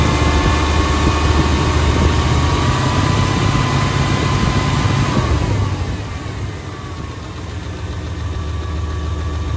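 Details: 1996 GMC 350 5.7 Vortec V8 swapped into 1989 truck, fast idle settling to low idle with regular tapping about three per second; intermittent knock regardless of engine temp, oil filter clean, piston slap, lifter tick or rod knock suspected.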